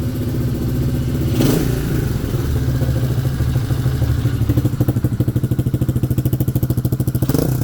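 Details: Small single-cylinder pitbike idling steadily and evenly after adjusting badly out-of-spec valve clearances; it now starts warm and cold, previously had high unstable idle and too-easy kickstart.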